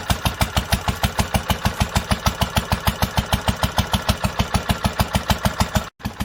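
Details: 1946 International Harvester LBB 3-5 hp water-cooled single-cylinder engine, first cold start after sitting covered a long time, started on the next pull after two choked turns; crisp, even firing about three a second, no misses or knocks, running healthy.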